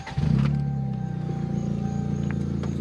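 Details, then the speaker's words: Toyota Corolla at idle with broken exhaust flex pipe: low, steady idle with a loud puffing rumble underneath instead of a muffled hum, exhaust leak heard from under the car. "one thing that came up is the flex pipe is broken the flex pipe is broken um so it kind of sounds really bad"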